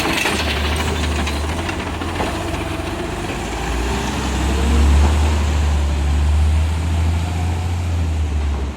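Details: Garbage truck 2817 on a recycling route: loud, raspy diesel rumble with a coarse puffing edge that swells when accelerating, caused by an exhaust leak.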